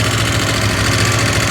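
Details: KTM 890 Adventure R twin idling with a fast light metallic rattle over the beat, tied to engine speed, reportedly quieter when driven; engine rattle at idle, cause unknown.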